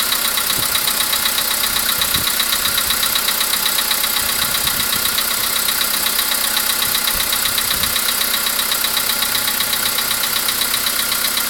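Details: VW Polo Sedan with CFNA engine at idle: distinct, regular knock about 2.5 times a second over an even idle; an engine knock of unknown origin.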